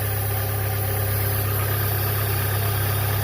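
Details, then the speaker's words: 2005 Chevrolet Cavalier 2.2 four-cylinder, 322,000 miles, P0301 misfire and starting problems, after replacing intake gaskets, oil pressure switch and crank sensor: smooth, low steady idle with an even firing beat, no stumble or misfire; running much better, called fixed. "all right well I call that a fix and uh car seems to be running better time will tell"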